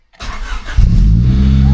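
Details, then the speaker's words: Honda Civic EJ9 hatch, first start after fitting a spare gearbox: brief crank, then it catches immediately and settles into a smooth, even idle; normal, healthy start. "Yeah. Wow. That started up mint."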